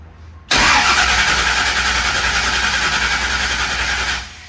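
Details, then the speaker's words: Rebuilt Camaro V8 (machined block ~200,000 miles, used heads) with a problem found on dyno: starter spins it at a steady, even pace for about four seconds, no lopsided beat; not down a cylinder. "everything sounds good on the starter. So not sure what it is. We're not down a cylinder."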